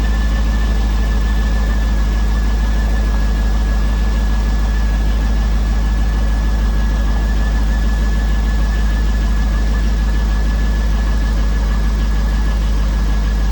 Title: Bad Lifters? Piston slap?